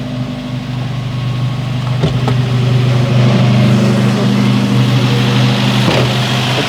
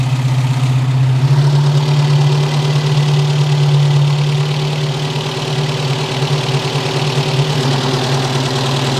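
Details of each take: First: 1973 Opel Manta A, 1.9 L CIH engine, just restarted after DIY cylinder head refresh (new head gasket, valve seals): steady fast idle, even low chug with faint light clattering, not bad; normal fast idle, valve lash still to finalize. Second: 1973 Opel Manta A, 1.9 L CIH engine warming up after head gasket and valve seal job: smooth idle with light quick valve-train ticking; loose valve lash, hot valve adjustment to follow, a couple of valves later needed adjusting.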